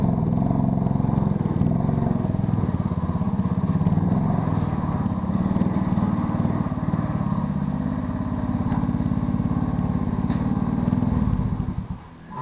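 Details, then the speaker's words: Honda ATC 90 small single-cylinder, first and second gear low: runs low and uneven with lumpy beat and no crisp pickup; poor running from stuck ignition timing advance. "so she runs but not good enough for the trail"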